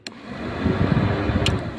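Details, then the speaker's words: Peugeot 205 diesel radiator cooling fans forced on first speed by manual wiring: after a click both fans, wired in series, spin up quieter to a soft steady whoosh, no rubbing or rattle; working fine. "Là, on les entend se déclencher moins fort puisque ils sont branchés en série."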